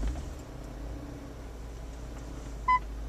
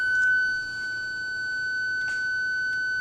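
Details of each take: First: 2000 BMW E39 M5 reversing toward a garage wall after a rear PDC ultrasonic sensor replacement: beeps quicken as it nears, then go solid within about a foot; parking sensors working properly. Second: 2000 BMW E39 M5, key in the second position with the engine off and reverse engaged: a single steady high beep of about three seconds as the park distance control warns that a rear ultrasonic PDC sensor is faulty.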